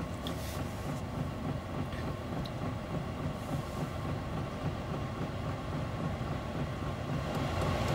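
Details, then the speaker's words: £85 all-in-one Chinese diesel heater in a van on first startup: steady rushing roar of fan and burner growing slightly louder as it ramps up; loud only until it reaches temperature; normal startup. "now it's really kicked off now my understanding from what i've seen from the other videos is this like really loud noise um which actually isn't that low but yeah it's like kind of rejected many energy but it's only for the sort of initial startup until the thing gets up to temperature"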